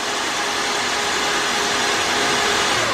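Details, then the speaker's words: Nissan RB32 engine swap on a new wire harness, cranking with spark plugs removed: even, fast starter whirr with no compression pulses or firing; oil pressure builds to about 25 psi cranking before cam and crank sync and first start. "we got like 25 pounds cranking um i just gotta sink the cam and the crank"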